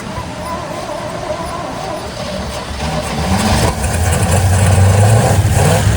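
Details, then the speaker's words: 1972 GMC C10 that sat for years, likely running on seven cylinders, timing being adjusted, fuel pump not yet hooked up: the cranking rhythm catches into a short, rough burst of firing that builds then fades; it fires briefly on starting fluid only. "Well, I don't know if you heard it or not, but it ran. It fired up."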